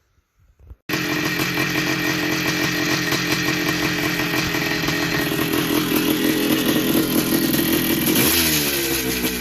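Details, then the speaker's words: 1982 Yamaha YZ490 two-stroke after a six-month rebuild with new bottom-end bearings and seals and a cleaned top end: starts into a crisp, even ring-ding idle around four beats a second, blips cleanly, much quieter than before; normal running. "Sounds pretty good. Sounds a lot quieter than before. New bearings."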